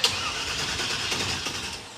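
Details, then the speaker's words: Monte Carlo-based V8 dirt track car with a newly installed starter, possibly no gas in the tank: the starter spins the engine steadily for a couple of seconds but it never catches. Crank no start, likely from fuel starvation. "nope nice the starter works any gas yet do we know that there's any gas in the car oh yeah there might not be any gas in this probably"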